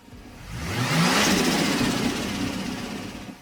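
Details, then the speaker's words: FG/BA Ford Falcon XR6 Turbo: engine revs up from idle with rising roar and eases off smoothly; healthy rev, shown as target sound of upgraded intake. "So you've just bought first FG or BA Falcon XR6 Turbo. Sounds like a bit of a lawnmower."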